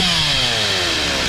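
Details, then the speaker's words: Stihl MS 260 Pro chainsaw after carb tuning, at full throttle: high-revving buzz with pitch sagging slightly and faint burbling at the top, mild four-stroking at top end judged acceptable; diaphragms may be dried out, possible carb rebuild. "It's got the little four stroking going on at the end on the top end. So, I think we're going to be good."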